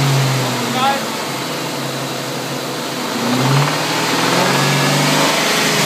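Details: 1999 Ford Mustang GT V8 idling then blipped: steady rapid ticking knock following revs; engine knock, cause unknown.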